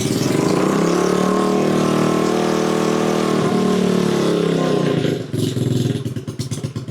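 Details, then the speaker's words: Pit bike with a fresh 110 engine, first start of the custom build on a little choke: revs up smoothly, then settles into a steady, even putter and runs pretty well; to be left running about 15 minutes to bed in the cam. "runs runs pretty well. I'll just let that run for 15 minutes or so."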